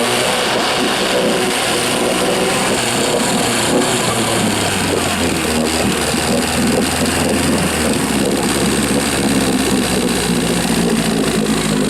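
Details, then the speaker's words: Rebuilt 1963/64 Evinrude 40hp two-stroke outboard, first start in the water after the choke comes off: a loud, steady run, the note dropping then holding even, water pumping out; runs normally, fuel mixed a little too rich. "Oh, it's running. Yeah, she's peeing water, good. Get a picture of that. Yeah, the water, I mixed her rich. Maybe a little too rich."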